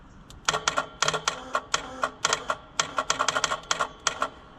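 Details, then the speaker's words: White 4-150 tractor, Caterpillar 3208 diesel V8 that would not start all winter; the engine is not running and the solenoid is hotwired with a jumper wire. Sharp clicks show the fuel shutoff solenoid working, and fuel is heard moving through the return. "Well, it's clicking there."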